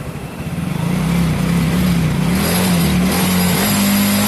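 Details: Soul GT bored up to 150 cc with Sonic piston, BRT racing camshaft, new valve seals, valves adjusted, first start: single cylinder catches, firm idle, pitch rises and falls smoothly with throttle; normal start and revving.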